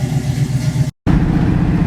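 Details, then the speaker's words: 1972 Pontiac Firebird driving after sound deadening in the floor: steady low engine and road rumble from the cabin, no door rattle, only slight wind noise and a creak. "well so far I don't hear no more rattl in that door right here"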